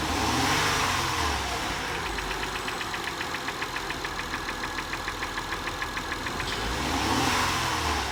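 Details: 2005 Acura TL at 172,300 miles: steady idle with a crisp, even tapping about three and a half per second; engine knock at idle, cause not pinned down.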